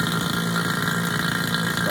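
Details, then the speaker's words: HVAC vacuum pump switched on and pulling down on a micron gauge (target at least 500 microns): steady, even motor drone at constant pitch with no knocking, rattle or surging; pump good to go. "No doubt, that vacuum pump is good to go."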